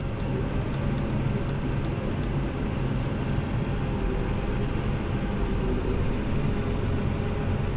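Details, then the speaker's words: New Holland T8.300 tractor with the park lock coil removed and a new fuse fitted: it goes in gear, and the deep diesel drone labours and strains against the still-engaged park lock instead of pulling away. "Hear the tractor labor down. It's in park still."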